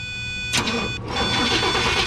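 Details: 2004 Chevrolet Tahoe with no fuel pump operation: brief cranking catches within half a second and settles into a steady idle while voltage is supplied to the pump fuse, then dies as that fuse loses voltage; power feed fault being traced.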